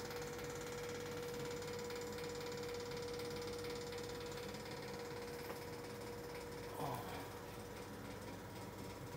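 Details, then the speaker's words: Ceiling-mounted indoor air conditioner fan motor running with a steady hum under a loose, fast mechanical rattle, caused by worn, torn and melted motor anti-vibration rubber mounts. "ยางกันสะเทือนฉีกขาดละลายนะครับแต่ทำให้ดูมีเสียงนะครับ"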